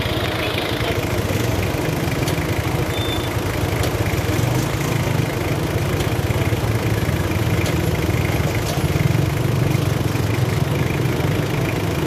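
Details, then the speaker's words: Old-model Ford pickup diesel with black smoke, throttle delay and vibration, before engine treatment: deep, steady rumble that hardly picks up when revved, no pull; loss of compression. "RPM tayo. RPM na. Wala siyang lakas. So, wala nga pirsa."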